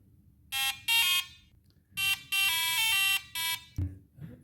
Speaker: You're the lucky that have the calculator on your hand when you when the sound pops up.